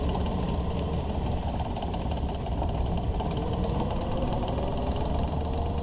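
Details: 2001 Ford Ranger at walking speed: steady clattering, clicking rattle from under the truck, from the worn front driveshaft CV joint with missing boot; also driver-side vibration at 50-60 mph, ongoing over a month; CV joint later rebuilt.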